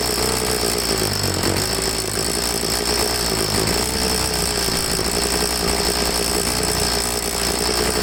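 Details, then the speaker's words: Troy-Bilt two-stroke leaf blower after carburetor cleaning, started on half choke: a high buzz whose speed sags and surges unevenly. It is fuel-starved because the tank was out of gas. After refuelling and a slight carb tweak it ran good. "it kind of lost its prime as i'm pushing the bulb in and it's oh could this be out of gas what an idiot what an idiot"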